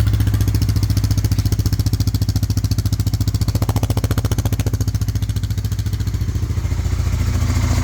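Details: 1998 Honda 300 4x4 ATV sat for years, oil added, before carb job: deep even thumping at about three and a half beats a second with no misses; single-cylinder idles normally.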